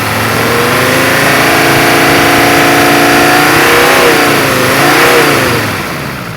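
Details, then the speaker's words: Non-turbo diesel from a 1980 Mercedes 300D, revved off idle and back: clean, smooth rising and falling note, no injector clatter; healthy engine. "Now that's how a diesel engine should sound. If you're out looking for one of these, you find an engine that sounds and runs like this."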